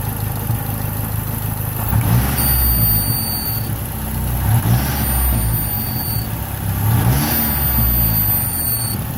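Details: Engine revved three times, each rev bringing a thin high whistle over the engine that fades as revs drop; it started today. The owner suspects a vacuum leak and doesn't think it's the alternator; the source is unconfirmed.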